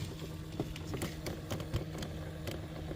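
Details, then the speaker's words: Sharp, uneven clicks about three a second over low blower hum under the passenger-side dash of a 2012 GMC Terrain, worse on high fan settings; failing blend/temp door actuator, the blower motor having been replaced a year earlier. "That clicking sound right there is this guy right here. This is the blend door actuator or temp door actuator."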